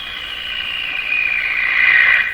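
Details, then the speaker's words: Canadian Westinghouse Model 684 radio on broadcast band at full volume, after replacing the last three wax capacitors, with the second IF transformer jumpered: loud high-pitched squeal swelling and fading, motorboating, heterodyne worse than ever; cause suspected, not confirmed. "So now that sound is an effect coming from the radio itself. Motorboating."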